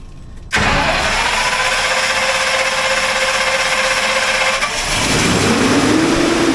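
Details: Standby generator with its heat shield missing, started after service to show it running; catches right away and settles into a smooth, even run with a steady hum and no knocks. Sounds healthy.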